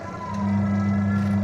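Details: Two-tub washing machine that only hummed without turning, traced to a swollen capacitor: steady low hum settling to an even drone, the wash motor now runs smoothly without stalling.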